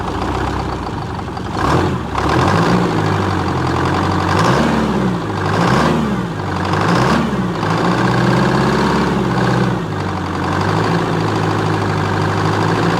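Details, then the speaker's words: 1978 Chevy Bruin with an 8V71 Detroit two-stroke diesel, first start after fixing its no-start issues, no coolant in it, some fluid spewing from a disconnected power steering pump line: a deep, busy snarl that revs and settles cleanly with no misses or knocks; normal running. "okay that's much better seeing that little bit of stuff spewing out of where the car steering pump line came off but that's how cool old Detroit stok supposed to sound"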